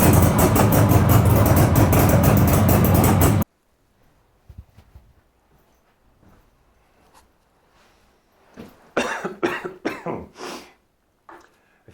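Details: 42-year-old Suzuki 200 two-stroke twin, revived after fitting replacement secondhand barrels and pistons for piston slap: a couple of seconds of crisp, rapid two-stroke firing at a steady rhythm, then it stops; runs cleanly while it goes.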